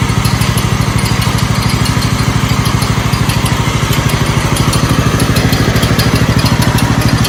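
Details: 1969 Blue Patio garden tractor engine after starter replacement: even steady thumping about three beats a second with no misses or knocks, running much better than at first start; normal running.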